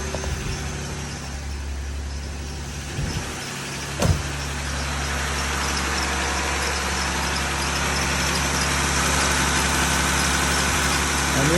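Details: 2020 Jeep Gladiator after opening up the engine for valvetrain ticking, engine cover not yet refitted: catches quickly and settles into a smooth, steady idle with no ticking; running right.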